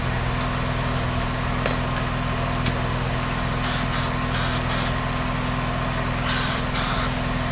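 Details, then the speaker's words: Carbureted Honda Vario 110 scooter idling with a coarse, rattly drone from the CVT belt drive and scattered sharp ticks; rough CVT noise before disassembly, exact part not yet found, roller housing suspected of running dry. "Oke, selanjutnya kita cek bagian komponen yang berisik di bagian CVT. Oke, kita cek dulu."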